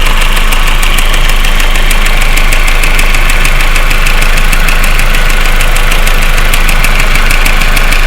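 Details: 1.8T petrol engine at cold idle: a sharp, even tick, close to four a second, over the hum; it gets quieter after a few minutes and is gone once the engine is warmed up.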